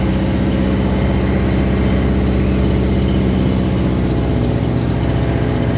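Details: 1985 GMC Sierra S15 (S10-type) 2.5 L four-cylinder, straight-piped with plugged catalytic converter removed, suspected head gasket issue, 31,000 shown: hot engine idles loud, unmuffled and too high with an occasional stumble; owner suspects the idle control valve.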